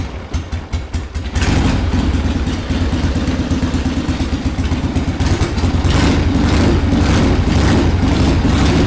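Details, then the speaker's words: 1979 Harley-Davidson Ironhead Sportster XL1000, first run in over 25 years after carb cleaning: lumpy, uneven V-twin idle with irregular thumps that never settle because the carburetor popped off, leaking air at the intake. "not really idling right let me take a look at the car real quick that's cuz the car freaking popped off"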